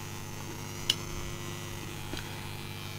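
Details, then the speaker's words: Homebuilt amplifier on a replacement junkbox transformer, with filter capacitors that filter less well: steady low hum with a thin buzz that stops when the room lights go off and returns when they come on. Mains interference from the lighting. "I know what the cause of the buzz is if I turn the lights out as you can hear the buzzing has completely stopped when I turn the lights on again as you can hear the buzzing comes back"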